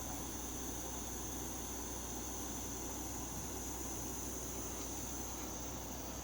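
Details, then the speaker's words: MSR Whisperlite International liquid-fuel stove, cold outdoors: valve opened fairly well after preheat, and the flame strength depends on pressure. Steady, even hissing roar with no sputter, pulsing or surging; the metal lip glows red, normal clean burning. "Once it does that, then you can open that up a little bit more. And based on how much pressure you have, dictate how strong the flame gets."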